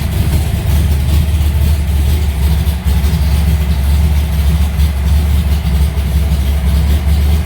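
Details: Alumacobra started after two months sitting, fired right up: deep steady idle with even low rumble, no misses, knocks or surging; engine sounds healthy.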